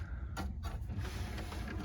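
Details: Sony BDP-CX960 400-disc Blu-ray changer after stuck discs were removed, which had caused a loading fault and a bad noise: low motor hum with short mechanical whirs and clicks as the door drives shut, working normally again.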